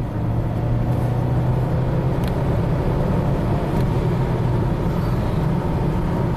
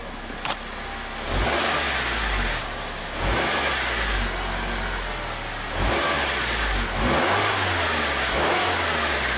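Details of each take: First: 2007 Acura RDX, 2.3L turbo four-cylinder, 210k miles, code P2263, after a repair that removed a turbo rattle, on a 0-60 test drive. Steady engine drone pulling hard under acceleration with no rattle: the turbo spools up nicely and boosts normally. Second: 2007 Acura RDX, 210k miles, P2263 turbo boost code disabling AWD: at idle, short throttle blips bring a loose metallic rattle near the turbo; a gapped actuator linkage (wastegate?) is suspected, unconfirmed.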